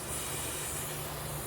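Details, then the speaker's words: Air line at a self-serve car wash running at 60 PSI, with the pumps off: a constant sharp hiss over a faint hum from compressed air escaping at a flow jet. "that there's no cars here and uh my pumps aren't going you can hear a hissing sound since the hissing sound is at 60 PSI you know a soap spray won't find the the bubbles coming up"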